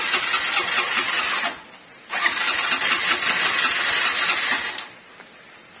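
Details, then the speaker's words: Honda MegaPro single-cylinder motorcycle running rough: busy metallic rattle from a stretched, long-unreplaced cam chain (rantai keteng) slapping and wearing into the cylinder block wall, leaking oil; needs replacing. "motor ini mesinnya kasar dan saya perkirakan itu adalah suara rantai keteng atau rantai kamprat ya lebih tepatnya"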